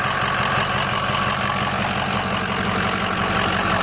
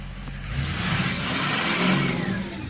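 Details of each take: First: Ford 6.0 diesel after turbo replacement, oil cooler, dummy plugs, EGR delete and coolant flush, warming up: a steady, even idle with a soft regular clatter and no knocks or misses. Normal idle. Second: Ford 6.0 diesel before its turbo replacement, with the scan tool showing the VGT stuck at 0.84: revving brings a wavering turbo whistle that surges and sags as the vanes try to break free. Stuck variable-geometry turbo causing underboost.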